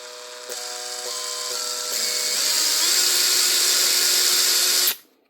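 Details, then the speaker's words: Makita BHP452 cordless drill from 2011, after replacing the burnt-out motor, armature, brush holder and brushes: clean spin-up through rising pitch to a steady high whine from the switch, no clicking from the back, then a quick stop; healthy. "The sounds, you can still hear that high pitched whine, but that's the switch. The sort of clicking from the back of here, you can't hear that anymore now."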